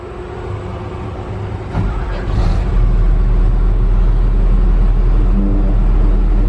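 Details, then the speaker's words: Logging heavy equipment diesel cranked after routine maintenance service; cranks, catches and settles into a steady low run with an even beat and no misses, running normally. "Alright, so we got everything done. We're about to crank it here."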